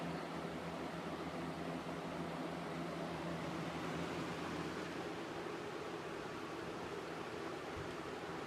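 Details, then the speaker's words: 1993-94 Galaxy box fan with a 3-speed metal Marco motor rated 2.2 A, two-piece motor mount, running on high: a steady, even whoosh of air with a low motor hum, no ticking, rubbing or wobble; running healthy and well balanced. "so I'm going to start it up on high here we go it's nice and Powerful well balanced too"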